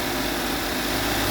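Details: 2022 Subaru Outback XT turbo after replacing the oil cooler gasket, torqued to 28.5 ft-lb, fresh oil and filter. Steady, even idle with a smooth hum and no knocks, ticks or misses. Normal idle; no oil leak now.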